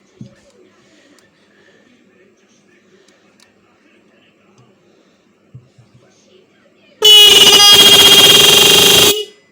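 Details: Motorcycle/car 12 V horn after tightening its adjustment screw to deepen the tone: after silence, one strong, steady, bright blast of about two seconds; horn sounds clear and healthy.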